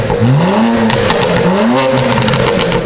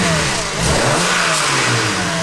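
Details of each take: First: BMW 335i with the N54 turbo engine, downpipes and an MHD stage one tune, pop-and-crackle slider set to about 3/4; three quick revs, with sharp crackles and pops firing on each lift-off. The exhaust tune is working as set. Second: BMW 335i N54 after exhaust gasket replacement, owner under the car during revs: engine revs and settles with a faint tinny rattle on the exhaust note, no exhaust leaks; suspected wastegate rattle, unconfirmed.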